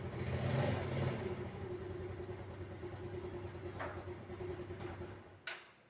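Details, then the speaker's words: Yamaha Mio scooter that would not start after sitting unused for a long time, now running after its carburetor was cleaned of clogged pilot and main jets: it starts easily with a soft, even idle putter and no stumbling. "Ini saya coba starter motornya. Ini saya jok dulu. Ya, aman teman-teman, sudah bisa di starter dengan mudah."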